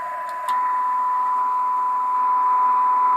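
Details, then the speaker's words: Robyn SB-540D CB radio after main PCB replacement, AM receive test at 0.05 microvolts (−133 dBm), SINAD above 12: clean, steady mid-pitched test tone over faint hiss; excellent weak-signal reception. "So 0.05 microvolts. So fantastic reception on this thing. Really, really good."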